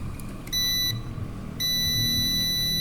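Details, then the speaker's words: Prolink 700AC UPS with its cover removed, switched on without mains: a short high-pitched beep, then a longer steady beep over a quiet hum; normal, running on battery with the battery icon shown. "පේනවා සද්දෙත් ඇහෙනවා. කිසි ප්‍රශ්නයක් නැහැ. බැටරියෙන් දුවන icon එකට වැටෙනවා."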